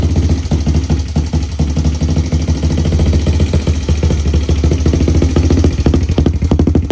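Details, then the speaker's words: 2003 Honda TRX90 quad after full teardown and rebuild with brand new cylinder and piston, after first heat cycle of about 15 minutes: steady even single-cylinder putter, firm low thump, no knocks or misses; normal healthy idle. "got this thing running she's sitting here idling sounds good seems to be running pretty healthy"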